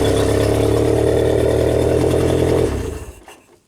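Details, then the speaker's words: 1992 Genie boom lift engine: runs steady about three seconds, then winds down and dies; a safety relay, which monitors oil pressure and coolant, is suspected of cutting ignition power. "if it doesn't like something it'll just it'll disable the uh you know the whole system like oil pressure coolant all these things have to uh you know be operational"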